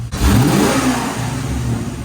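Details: 1989 Corvette C4 after the loose distributor was tightened and timing reset, 26 degrees advanced. Quick throttle blip rises and settles cleanly with no stumble or misfire: normal running.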